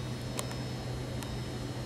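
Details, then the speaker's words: Tesla Model X P90D falcon wing door: three light, crisp clicks about a second apart over a steady low hum as the bead-like pinch sensor strip along the door edge is pressed; pinch sensor working normally. "makes this clicking noise when i press it you should be here so that's to prevent your fingers from being pinched"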